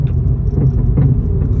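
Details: 2014 Vauxhall Corsa bought at auction, driving home: heavy road rumble with irregular dull knocks from the front end, traced to worn anti-roll bar drop links, which were replaced.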